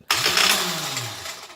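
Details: 2007 Harley Road King 96-inch engine with S&S Super II carb in a 1957 hardtail bobber, after replacing the battery: brief clean crank with no clunk and the engine catches almost at once; the old starter clunk is gone.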